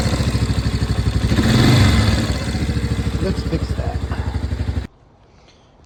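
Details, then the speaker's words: 1992 Yamaha Big Bear 350 ATV, 707 miles on trip meter, warm idle: light, fairly even top-end tick/clatter about three times a second; owner suspects valves need adjustment, possibly the common Yamaha tick; cause unconfirmed. "when she's nice and warm it develops like a clattering out here on the top end so we're going to see if it's if it needs a valve adjustment"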